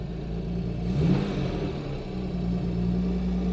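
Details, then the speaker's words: British Leyland Princess 2200 automatic, long stored, cold start with choke pulled and locked: engine catches, flares briefly, then settles into a low, steady fast idle; starting and running fine. "pull it out pull it out and then to the side to lock it and then let's try again there we go it's running"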